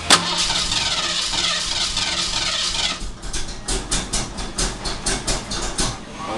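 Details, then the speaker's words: Rapid rhythmic cranking pulses, about three a second, come in repeated bursts with the throttle held to the floor, but the engine never catches; it turns over without running. "see it won't crank when you turn all way fire if it would run long enough just to let"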